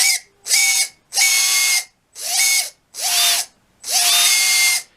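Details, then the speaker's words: Red Cat 550 brushed RC motor: six short throttle bursts with a sharp, high-pitched squeal over the whir, worst when letting off or at certain throttle points, coming and going. Owner suspects it needs lubrication at the shaft ends. "you hear it'll like clear up but then it'll come back when you let off yeah now it's not really doing it but yeah it comes and goes it's pretty bad right there"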